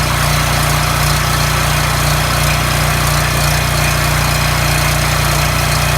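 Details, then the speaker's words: Coleman 3600 rpm engine, after governor replacement (part 277-42201-33): steady even single-cylinder drone, no hunting or misses; tachometer shows about 3590 rpm, 3615 on high side, within spec, governed speed normal. "that sounded wonderful alright so what I did with using this tachometer I got the machine up to 35 I'm 90 and then on the high side it goes up to 39 36 15 so that's right in the ballpark you want"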